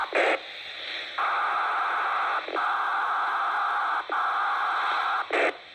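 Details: MTX8000 radio: loud steady hiss cutting in and out in long bursts between short bright blips; loud static, cause unknown.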